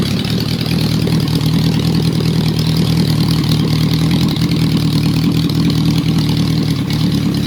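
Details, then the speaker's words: Honda CB350, warm engine: catches straight away and settles into a steady, even idle with a smooth low beat, no misses or stumbles; normal start and idle. "But I'm pretty happy, guys. I'm fairly stoked with that."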